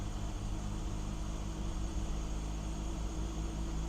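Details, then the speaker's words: BMW E46 330i after the idle air control valve was dealt with: the idle is much better but still dips, as if it had a vacuum leak, and sometimes drops toward dying. Rough idle with dips. "much better it's still running like it's got a vacuum leak but it's not but dropping off one to choke choke and die out"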